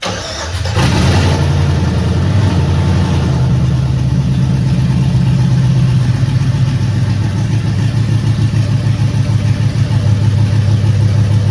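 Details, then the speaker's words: Scrapyard LS V8, said to be low mileage, swapped into a 1966 Chevrolet C10 with BP Automotive harness, first start: brief crank, then steady low rumbling idle with slight lope, smoking, owner suspects oil in cylinders; normal idle. "all right well I would call that a success uh it's smoking pretty good it's uh I think it's got probably a lot of oil and the cylinders just from uh you know being tossed around in the scrapyard"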